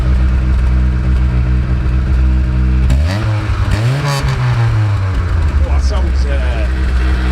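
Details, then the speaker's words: 1980s Rover 213 SE petrol engine in a rusty restoration project, exhaust holed/blown throughout when bought, started in mild weather. Steady deep idle, then a clean rise and fall as it is blipped. No knocks or misses, healthy. "sounds good, doesn't it? Sounds really nice. Just sounds fit, doesn't it, Michael? Really impressed. It's got quite a nice exhaust note."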